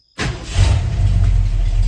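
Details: Carefully rebuilt Ford truck engine, lukewarm (just above 130°): quick catch on first crank, then smooth even low idle with no knocks or ticks; oil pressure about 60 psi, sounds healthy.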